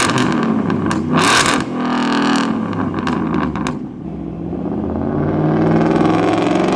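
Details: 2017 Shelby F-150, 750HP supercharged 5.0 Coyote V8, new stainless dual 3.5-inch megaphone exhaust with tips: steady rumble cruising at 50 mph under road and wind noise, not overbearing, no drone in the cabin; normal exhaust.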